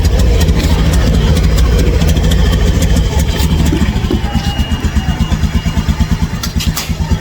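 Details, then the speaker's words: Honda Scoopy scooter with a "brebet" complaint: the engine sounds heavy and labored, falling into an uneven chugging pulse instead of revving freely, with a noisy whine. Engine hesitation, won't rev. "Dan itu berat itu enggak mau ogugahan ya, Teman-teman."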